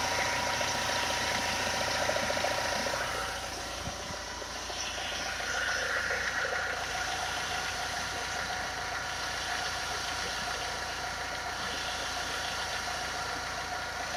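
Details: 2.0 HDi diesel engine at idle: steady idle with a light regular tapping about three to four times a second on top; abnormal engine noise, cause unclear.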